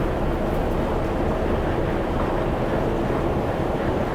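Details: Irisbus reserve coach no. 1106, diesel, heard from inside while driving toward the depot with no cruise control: loud, steady roar with deep rumble held constant throughout; a noisy engine under load, cause not clear.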